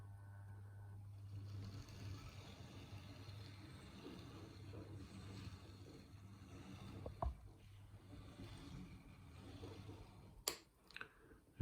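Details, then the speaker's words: New EFE Bulleid Booster model locomotive with only 5–10 minutes of running, at crawl speed: a low, steady motor buzz and slightly lumpy running, with a metallic squeak noted earlier. Rough low-speed running, cause unclear. "it's a bit lumpy. Bearing in mind this has only had about 5 10 minutes running so far."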